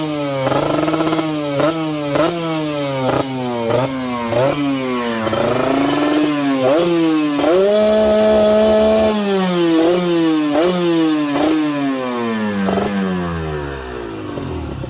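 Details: Customer's RR150 two-stroke built up by the shop, exhaust review: crisp blips about three a second, revs climbing and falling cleanly, then a held rev and smooth drop back; quiet, healthy engine and exhaust.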